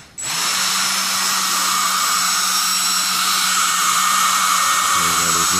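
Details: Hobby King Dr. Madthrust electric ducted fan after rebalancing with tape inside the spinner: smooth steady high whine at one pitch with no wobble or throb; fan balanced, free of vibration.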